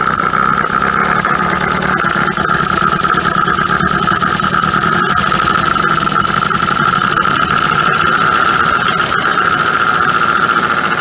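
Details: 1980 Dodge Colt Challenger (Mitsubishi Galant), four-cylinder, sat 20 years, running after vacuum advance and solenoid hooked up: steady whistle-like tone with uneven stumbles and ticks; rough running, rust and milky residue under valve cover, oil overfilled, water got in.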